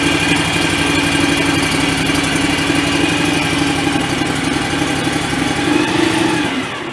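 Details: John Deere X738 riding mower after fuel filter change, no leaks seen: smooth, even idle with steady hum and no misses or surges, then winds down; normal running.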